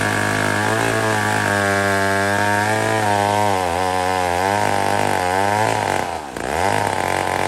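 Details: Old McCulloch 1-71 chainsaw after a major carb upgrade: carb rebuilt with jets from another carburetor, leaking gas line zip-tied, intake leak fixed with a double gasket. Revs up and down cleanly with a crisp, steady two-stroke note, no stumbling or dying. Normal running.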